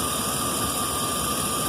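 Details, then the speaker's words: 2011 Chevrolet 2500 HD 6.0 gasoline V8 after repair for lifter tap: cranks normally, smooth even idle with no tapping or ticking, oil pressure 40 rising to about 60 with throttle; owner calls it fixed. "cranking pretty normal I think runs pretty good I got oil pressure looks pretty normal it's going from 40 on up to you know 60 or so and I give it gas"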